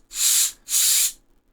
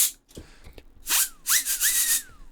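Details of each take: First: Cheap Chinese small blower fan for a 10Gb Intel X520-T2 network card cooling mod spins with soft airy whooshes. No bearing grinding or ticking is heard, and none can be felt while holding it, unlike the original fan. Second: Small cooling fan from an Intel X520-T2 10Gb Ethernet card's original heatsink, spun up in bursts: rough, airy whine that rises then sags, audible bearings, from worn fan bearings.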